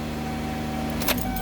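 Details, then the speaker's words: 2008 Kia Sportage that had no crank, no start and flickering dash lights, now running after pressing a wire that seemed tripped when the battery died. A steady, even engine hum with a brief key clatter partway through, and it keeps running smoothly. Normal start and idle. "but I pushed it and all of a sudden now flickering stopped engine turns over now as you could hear"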